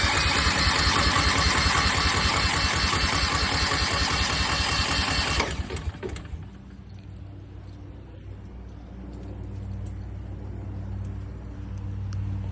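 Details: New Westinghouse 20,000 W portable generator on its first start-up. The starter churns evenly for about five seconds and the engine never catches; no fuel is reaching it because the fuel shut-off valve is closed.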